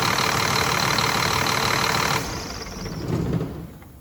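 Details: Scania R400 DC12 truck diesel after overhaul (new liners and pistons, new camshaft, originally came in knocking) runs at a raised idle with an even, steady beat and no knocking, then winds down; normal idle.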